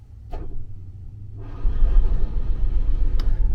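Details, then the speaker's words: RV generator, monthly exercise run, after priming with a seven count: long, low, uneven cranking churn with a short catch as if it nearly fires; hard starting but close, per the owner. "Did you hear that little catch? That tells me it's getting close."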